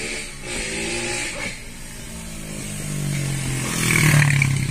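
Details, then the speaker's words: Chevrolet Onix 2022, 3-cylinder, after replacing the aftermarket Helper clutch with a genuine GM/LUK one: engine hums evenly at idle while the clutch is pressed and released, with no clicking or rattling; normal clutch operation. "E não tem mais o ruído do câmbio, do que a gente diagnosticou que era um câmbio, né?"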